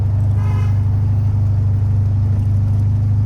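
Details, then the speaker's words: 1976 VW Super Beetle on test drive: fast, even idle staying way high with no throttle; throttle cable recently adjusted after sticking, cable length suspected of holding throttle partly open. "So, the idle right now, you can probably hear it. It's way high. It's either a combination between the uh the cable is too long."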